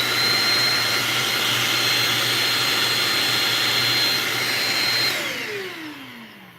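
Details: Shark vacuum after repair: strong, steady high motor whine with full airflow rush, then a smooth falling pitch as it spins down; suction sounds unrestricted and healthy.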